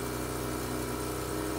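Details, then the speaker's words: Mazda RX-8 after replacing and correctly reconnecting the ignition coils and plug wires (leading/trailing order) for a cylinder 1 misfire: first start with a steady, smooth cold fast idle at 2000 rpm slowly dropping, no misfire. "The RPMs are at 2000. And they're slowly dropping. I don't know if this is too soon to say, but this sounds smooth. Like, this sounds like very smooth idle."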